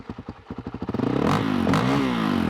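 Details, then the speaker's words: Honda CRF450L/RL single-cylinder engine running an Athena GET ECU, after stalling on a throttle-blip test: slow, lumpy pulses that won't settle, idling lower than it should before being raised; low uneven idle. "yeah for some reason I can't I can't smooth my idol out you can hear it it's idling a little lower than it should be"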